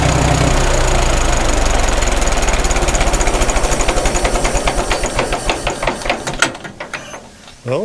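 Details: 1936 Caterpillar Twenty-Two tractor petrol engine, first run after sitting for years and a magneto that earlier gave no spark: even, regular firing beat with no misses or stumbles before it is shut off; carburetor judged not to need adjusting.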